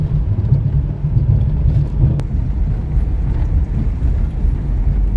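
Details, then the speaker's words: 2006 Chevy Equinox after front suspension repair, driving: even low road rumble with no clunks or rattles over bumps, much quieter than the earlier bag-of-rocks noise; front end sounds tight. "first of all it's not as loud the front suspension doesn't sound like a bag of rocks going over"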